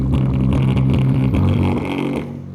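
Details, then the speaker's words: EagleNav 10-inch "800W" car subwoofer amp, found with cold-soldered MOSFETs, tested on an 8-inch driver: bass notes buzzy and flattened with a raspy edge on every hit when pushed; amp clips quickly, weak output. "Dude, it just clips so quick. Not impressed."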